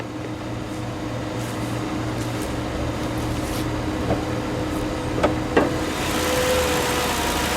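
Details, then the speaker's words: 2005 Mercury Grand Marquis 4.6 V8: low, even burble at constant pace with no miss, tick or knock; purring smooth, healthy idle. "and this thing is purring like a kitten it's smooth the ride is smooth it drives pretty good so far"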